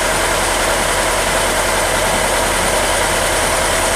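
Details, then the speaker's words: 1987 Ford Thunderbird Turbo Coupe, sat over 18 years, first start after priming the fuel pump: loud, ragged, uneven idle with no clean steady beat; runs roughly, smoking heavily, later shuts off. "It's not running very good, but it's running."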